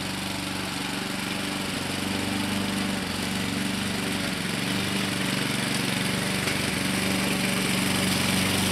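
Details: 2014 Husqvarna HU700F self-propelled push mower, Honda GCV160 engine, after carburetor clean and general cleanup: small single runs at a steady, even beat of about four firings a second, no hunting or misses; healthy normal running.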